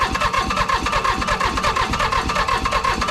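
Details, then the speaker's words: Toro Groundsmaster 223D diesel mower, abandoned for decades on a farm: engine labors through a start with uneven rapid chuffing, then cuts off abruptly; hard starting, cause unclear. "In the previous video, we actually got this mower running, but we found out it has some engine issues. It was very hard to get started."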